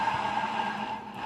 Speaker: Nah tak dekatkan lagi ya Ini suara laker bandul seperti itu suaranya Vario 110 karbu ya karbu terakhir 2013